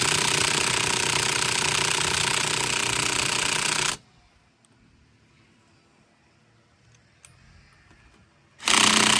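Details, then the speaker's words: Car tire rotation, cold day: cordless impact wrench on a lug nut gives rapid, even hammering about four blows a second, then stops; it sounds weak and won't loosen the nut, owner suspects a dead battery. "Alright, that's crazy. The gun is like dead. Maybe my battery's dead, that's why."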